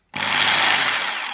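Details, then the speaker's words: Kango 426 110 V SDS hammer drill after replacing the 629ZZ bearing and reattaching the detached cooling fan rotor; steady high-pitched motor whir with airy fan rush, spinning freely — normal running. "means the fans work and turning freely"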